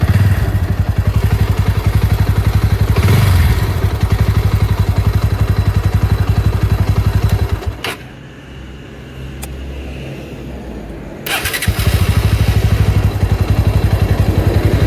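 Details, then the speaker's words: Bajaj Pulsar NS160 at idle, phone-recorded: loud fast even clatter with brief dip then steady rhythm; compared with another NS160 it sounds the same, judged normal engine noise exaggerated by phone recording. "अगर इस हिसाब से देखने जाऊ ना तो दोनों तरफ दोनों आवाजें सेम टू सेम ही लग रही है"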